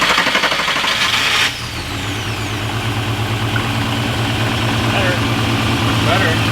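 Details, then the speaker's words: Freshly swapped VR6 in a 1984 Scirocco MK2 with zero miles, full exhaust with cat and muffler: quiet idle with a slightly uneven, lumpy pulse; one cylinder misfiring. "we got a misfire on cylinder one but we have 87 octane fuel we have almost no fuel in the tank [Music] that's the first injector in line so maybe there's just some crud in the injector"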